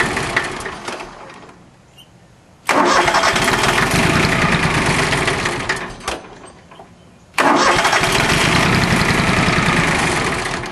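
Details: Small three-cylinder Yanmar diesel after a fuel filter change without bleeding: cranks and fires, dies back, then catches into steady clatter; air in the injector lines made it reluctant to start until bled.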